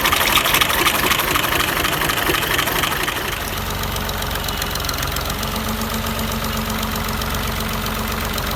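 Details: Engine at idle with a sharp knock repeating about four times a second, steady over the running engine; abnormal internal engine noise, cause unknown.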